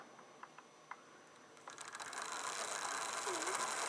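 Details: Wrenn 08 shunter model locomotive after strip-down and clean, on rolling road: faint ticking then a soft even whirr at about the slowest speed before stalling, drawing a quarter amp; owner suspects the magnet is tired.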